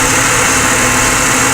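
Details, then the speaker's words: Ford Falcon BA 4.0L petrol engine, earlier running rough, now idles steadily and evenly with no misses after a genuine ignition coil was fitted in place of an aftermarket one; normal smooth idle. "there you go seems to be running smoother already so if we fill that up and see here that one's sparking in there as well it's actually working and the mitre is running perfectly"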